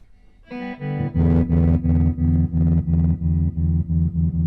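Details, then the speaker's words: 1964 Fender Concert guitar amp after replacing the LDR to fix a weak tremolo: chords pulse deep and even at about three beats a second, a strong, steady tremolo. Normal tremolo after repair. "Alright, so that fixed it. Now we've got that nice, deep, luscious tremolo that we're always looking for."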